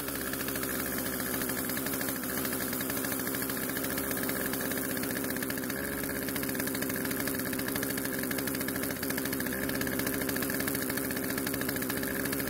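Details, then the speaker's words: Poulan chainsaw unused for over a year; old fuel was drained from the tank, lines and carb and fresh mixed fuel added. It now starts and runs, holding a fast, steady two-stroke buzz at rest. The idle speed is too high, so the chain keeps moving. "the only issue was that the idle speed was much too high causing the chain to keep moving which is obviously something we need to fix"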